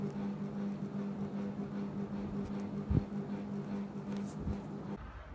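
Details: Panasonic FM15E6 seven-speed ceiling fan, rattle returning years after an earlier repair: steady low buzzing hum with a faint rattle from a failing capacitor; fan also fails to start.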